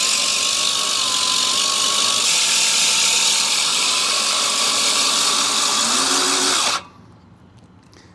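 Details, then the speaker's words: Allett Stirling 51 reel mower backlapped with compound, reel driven in reverse by a drill: steady hissing grind against the bedknife, cutting off sharply when stopped; quieter over time, either compound moving off or reel should be adjusted down. "But you can hear how after a while it's not as noisy, so that's either the grinding compound being moved off of the blade, or it's, it grinding and should be adjusted down a little bit."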